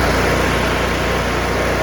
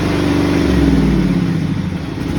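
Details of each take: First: John Deere V-twin lawn tractor at full throttle after carburetor replacement and governor idle adjustment (fixing runs-then-dies-with-choke-off): loud, steady drone with an even, fast firing pulse, no misses or surging; runs normally. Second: John Deere lawn tractor V-twin, before carburetor replacement: runs steadily, then speed sags and surges unevenly before dying when the choke is turned off. Suspected dirty or broken carburetor, dirty or broken manifold, or broken gaskets.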